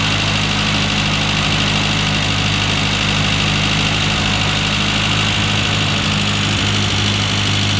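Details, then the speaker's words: Classic Mini engine (low compression, due for a rebuild) being tuned for E10 petrol with electronic ignition timing. The idle speed has been set down, giving a steady low idle with no hunting or surging before the mixture adjustments: normal idle. "that's about where it needs to be before we go on to do the mixture adjustments"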